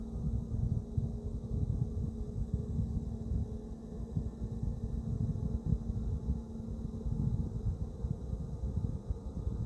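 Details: Palit RTX 5080 GamingPro OC graphics card, about one month old: the fans run with a rough, rumbling grind under a steady hum. The phone mic sat near a case fan, adding airflow hiss.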